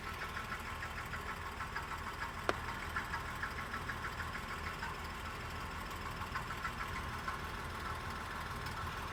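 Light, fast irregular rattle ticking over a steady idle, about two a second; source of the rattle can't be pinned down.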